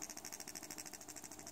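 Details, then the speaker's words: Cheap generic Chinese USB-powered PC speakers with the 3.5 mm audio input disconnected give a fast, even ticking, about fifteen per second; a leaky 1uF 50V capacitor feeds DC to the speaker, and replacing it fixes the noise. "I'm going to shut down the the audio input and I'm not sure if you can hear that there is a really annoying beeping sound"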